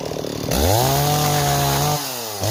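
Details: Stihl 026 two-stroke chainsaw on an 18-inch bar, cutting wood: strong, clean howl revs up fast, holds steady, dips briefly and snaps back; running healthy and pulling well.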